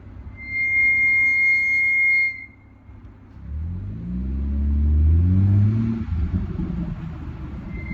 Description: Bei meinem f36 quietschen die vorderen Bremsen .